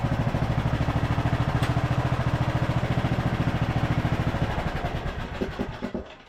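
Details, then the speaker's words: Craftsman LT1000 riding mower after oil-leak fix attempt: small single-cylinder engine putting along with an even, steady beat, then spinning down smoothly at shutoff with fuel turned off; normal running. "But overall, this engine seems like it is running really well. Crank it up real quick for you guys. I do have the fuel turned off, but runs great."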